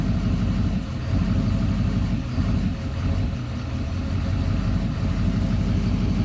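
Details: 2009 Duramax diesel idling in drive: diesel clatter with an uneven, lumpy beat and slight sags every couple of seconds; rough idle only in drive, smoothing out in park.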